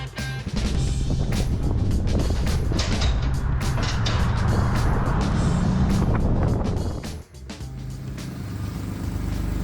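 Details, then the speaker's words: BMW E46 330ci drift car just fitted with 3.15 differential, driven slowly: loud raspy drone with rough uneven puffing rather than a clean note; exhaust leak, found on the passenger side at the manifold connection. "Alright, not sure if you heard it outside, but there's definitely a noticeable exhaust leak somewhere. It sounds like shit."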